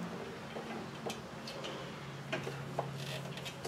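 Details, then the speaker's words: 1999 Toyota Tacoma PreRunner rear drum brake, drum installed after new shoes, star wheel adjusted through the rubber-plug hole: sparse light clicks as the wheel turns; normal drum brake adjuster ratcheting. "You can hear it click as you move the wheel."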